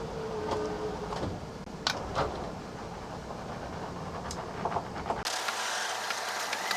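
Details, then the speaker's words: Coachmen Sportscoach 380MBS Class A diesel pusher (Freightliner XC) slide-out: strained motor whir drags slowly, then runs freer after about five seconds once the room clears the ramp hump. "once it gets over that hump right there seems to move okay"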